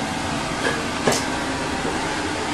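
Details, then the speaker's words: Air compressor supplying a backup pressure tank in a home-built building water system: steady, even mechanical drone with a few light clacks, no knocking or hunting; running normally. "well there's the air compressor that you just heard running"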